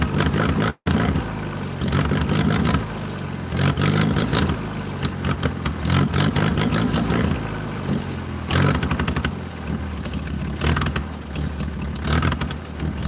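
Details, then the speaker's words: 1940s International Cub engine on a wood splitter, just started and not yet warmed up, running on partial choke while owner finesses it: ragged, surging, clattery running that barely holds on and wants to die. "I really want to be able to take the choke all the way off. And you'll hear it runs different."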